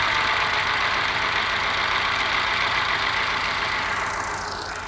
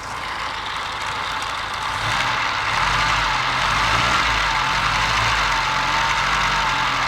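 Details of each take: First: Moke engine bench-tested on a stand with fuel squirted down the carby and the starter jumped: uneven, lumpy idle with a hiss and a stumbling beat; missing on one cylinder, and the owner is trying to find which one. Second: Test engine earlier missing on one cylinder despite excellent compression, sparking seen, sticky valve suspected, distributor next to adjust: low beat wavers, then steadies and smooths over several seconds; now firing on all cylinders.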